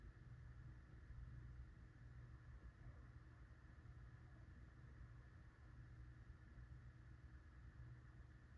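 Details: Litex Starlite ceiling fan dated February 1990, 16-pole motor, four blades, on low: quiet steady low hum with no clicks or scraping, slight wobble; turns under 400 rpm on high (about 385 versus 450 max), owner suspects bad bearings.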